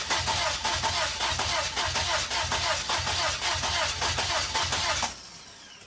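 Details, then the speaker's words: 1999 Plymouth Neon with replacement engine after hydrolock, fuel pump relay just reinstalled, car sat a while: steady starter cranking about five seconds, never catches; owner suspects it needs throttle help. "need a crack of the throttle i reckon kind of been sitting a while she needs to help"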